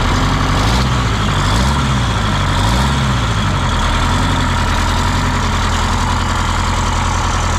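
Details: 1977 MCI coach with 8V71N Detroit two-stroke diesel, just restarted after freeing three stuck injectors that caused a runaway: heavy, even low rumble holding steady at idle, no knocks or misses; good oil pressure, warming up; normal idle.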